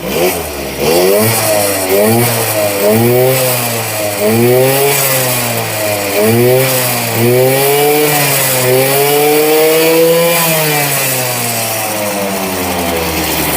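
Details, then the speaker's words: Honda Vision Met-in 50cc (1988) two-stroke scooter, kick-started after carb removal and cleaning, high idle being adjusted: crisp buzz rising and falling cleanly through repeated blips to high revs without bogging; normal revving. "oh sounds a bit better doesn't it sounds awesome sounds like"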